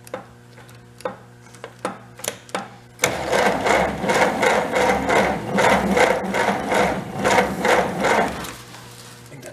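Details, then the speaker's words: 1930 Plymouth barn find with battery charged and oiled cylinders: slow, labored, uneven starter cranking about two and a half turns a second; the fan belt is being sucked in and dragging, engine possibly sagging on its mounts. "I gotta get that belt out of there it's sucking the belt in and slowing it down"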